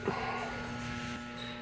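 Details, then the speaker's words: Reznor hanging heater on a no-heat call: the combustion blower motor gives a steady low hum but does not turn. It was confirmed seized, as it receives 117 volts yet will not spin. "i don't know if you can hear that but she's a humming and she's not wanting to turn so it's gonna be a combustion blower yep"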